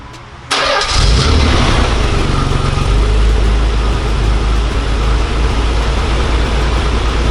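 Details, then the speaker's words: Nissan 300ZX twin turbo with factory blow-off valves, before HKS blow-off valve install: starts quickly, steady deep idle with a few blips, no flutter or whoosh on lift-off; normal, quiet stock valves. "It's not that loud because it's got the factory ones, the blow off valve from factory, so that's why it doesn't make any noise."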